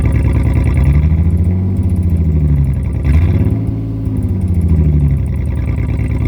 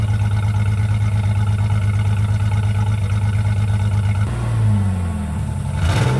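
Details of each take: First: 2004 Jeep Liberty 3.7L with the muffler removed during a muffler and tailpipe replacement. A deep, booming raw drone rises and falls with revs; the exhaust is far too loud with no muffler. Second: 2004 Jeep Liberty 3.7L after replacing muffler and tailpipe to fix an exhaust leak; deep steady idle drone, slightly louder exhaust, then a smooth blip of revs rising and falling cleanly; sounds sound.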